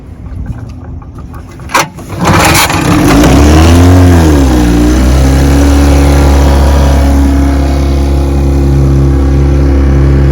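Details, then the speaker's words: Restored 1957 Sea King 5 hp outboard on bayou test run: after a knock and throttle blip, settles into a smooth steady buzzing run in gear without misses; running healthy after restoration. "in gear. It goes great. It runs great, John."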